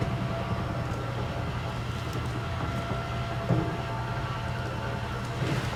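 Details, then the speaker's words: 2022 Jayco Pinnacle 36SSWS awning extended from the control screen: low, steady motor hum, even throughout with no grinding or clicking; awning goes out nice and quiet, drive healthy. "but we'll show it from the screen this time extend and that awning goes out nice and quiet"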